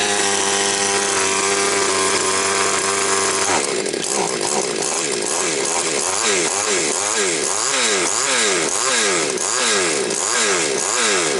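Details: Chainsaw with hunting revs and stumbles, after carburettor richened: steady idle then crisp throttle blips rising and falling cleanly, no hunting or bogging; runs healthy.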